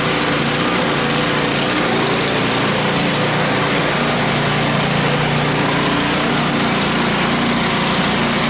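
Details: Snow blower running on ethanol-free gasoline on first snow of the season. Small single-cylinder engine holds a steady, busy buzz with no misses, knocks or surging. Running normally.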